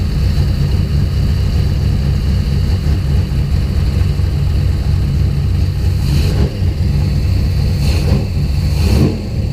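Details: Deep, lumpy idle with uneven pulses and brief stumbles. Spark to coil and distributor returned after the wiring loom was moved. Fuel pressure was 50 after prime and over 60 during prime. The engine sneezes fuel and runs really rich.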